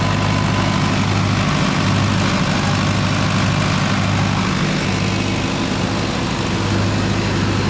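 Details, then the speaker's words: Newly installed 50 kW canopy-type generator running during commissioning: steady deep diesel drone, even low throb, no knocks or misses; runs smoothly. "KBr generator চালু করলাম, installation করলাম নতুন করে।"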